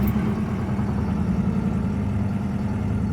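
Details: 1974 Citroën GS flat-twin, cold start at -10°C after sitting about three weeks, with full choke; steady even low rumble at idle, no misses, knocks or hunting; healthy cold idle.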